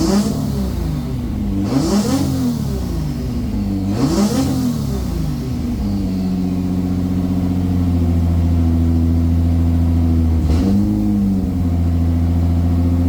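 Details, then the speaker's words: Toyota 2JZ VVTi JZ swap's very first start after ECU calibration and timing set (trigger setup issue noted): starter churns with rising and falling pulses for several seconds, then catches and settles into a steady even idle; runs fine. "Yes, what a fucking relief. I cannot believe it. Well, I can. It should run."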